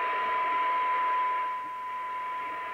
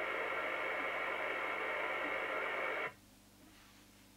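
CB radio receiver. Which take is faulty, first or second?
first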